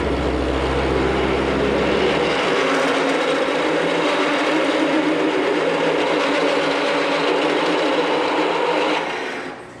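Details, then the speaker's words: Freshly sharpened big, long drill bit drilling metal for a Frick Sawmill idler pulley bushing: even churning cut with light rhythmic chatter and vibrating noises, spinning down at the end; metal chips coming out, bit cutting fine. "Yeah, it's big, it's long, it's making some vibrating noises, but she's cutting. Look at that metal coming out."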